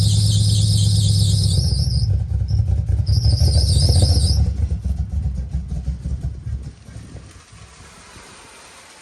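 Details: Nissan 300ZX Z32 (1990-96) V6 idling: an uneven, stumbling beat from a misfire, a common fault on this model.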